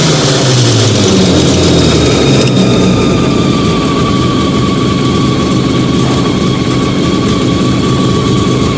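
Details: Fiat 125 (Bialbero) on CNG with a new gas injector at the carburettor and the original air filter, just started. Steady, even idle with a smooth low rumble, no knocks, misses or hunting. Normal idle.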